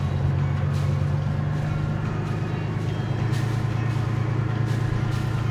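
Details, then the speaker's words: Boat diesel engine at cruising rpm in forward, after about 12 pints of new transmission fluid and a replacement cooler fixed a grinding transmission; steady low smooth drone, no grinding or clunks, sounds good. "So there's cruising RPMs. Sounds good. Luckily, the easy fix was all that was needed."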